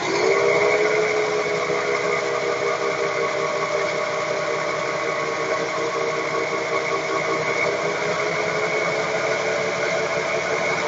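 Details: 1994 Ford Taurus 3.8 FWD while driving: steady droning hum with faint high tone from a worn front wheel bearing, later replaced with an IJ211001 Kia Sorento roller bearing.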